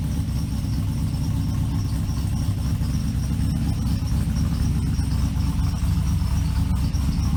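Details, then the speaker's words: Trailblazer SS with a blown LSA-swapped LS2 at idle: small bird-like chirps about twice a second that worsen as it runs and disappear with the belt removed; suspected pulley or serpentine belt issue. "there's a bug in my car right now which isn't really a big bug but it's it's an annoying one it's like a little chirp it's like a little bir like you know like a little bird in my engine compartment"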